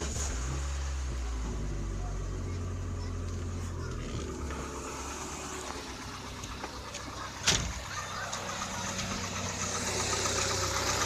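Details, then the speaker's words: Ford Escort Zetec after repair for no idle, misfiring and stalling: quiet engine idles steadily without stalling, with a slight unevenness blamed on airflow; otherwise running well. "aí ó tá um bocadinho quadrado né mas por causa do fluxo de ar tá bom"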